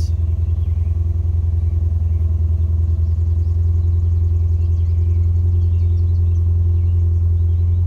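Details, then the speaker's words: 2005 Scion xB after fuel pump replacement for crank-no-start: deep lumpy idle with uneven beat; engine runs but rough, cause not yet clear. "hey look at that she runs not good but she"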